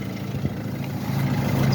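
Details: Mercedes that would not crank even with a new battery, started after repair of the starter motor's brush contact. A low, steady idle rumble with no misses, clicks or grinding. Running normally.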